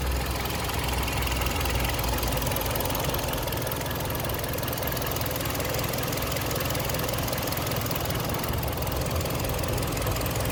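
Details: Warm engine with a smooth even hum and no metallic tapping on a Kia Sportage 3 at 122,000 km, after service: oil changed Shell 5W30 to NGN 5W40, throttle and injectors flushed, filters replaced. Dull metallic knock gone; timing chain replacement planned in a week.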